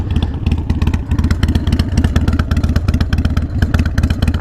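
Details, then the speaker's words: Harley-Davidson Sportster 48 at idle: loping twin with sharp metallic clatter riding each firing pulse, about two thumps a second; rattle traced to a loose exhaust. "tell where that rattling's coming from is it the exhaust oh yeah okay it's just the exhaust watch okay"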